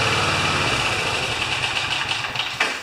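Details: Older Briggs & Stratton mower engine that had an intermittent spark and missed more as it warmed, running after the flywheel was removed and the points were gone through: a steady, even buzzing run with no misses or knocks. Finding: normal running.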